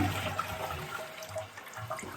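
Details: Ideal Standard toilet flush valve after the diaphragm disc was replaced to fix constant running: a strong rush of water settles into a steady refill trickle with no irregular hiss, a normal flush and refill.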